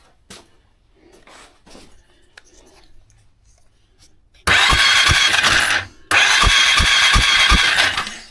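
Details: Starter cranking on a 2001 Polaris Sportsman 500 HO, after fixing a no-spark fault and confirming bright blue spark with the kill switches: two bursts of steady whir with even compression pulses, no firing; normal cranking.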